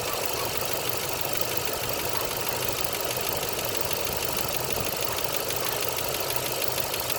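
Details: 2.9 Vortec engine at idle: quick, light, even ticking keeping pace with engine speed, typical of a noisy hydraulic lifter.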